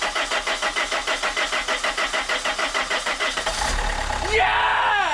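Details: 1.9 JTDM/CDTI diesel after snapped timing belt rebuild (new belt, rockers, water pump, glow plugs), fuel primed: regular cranking pulses about three a second, then it fires and settles into idle; starts normally.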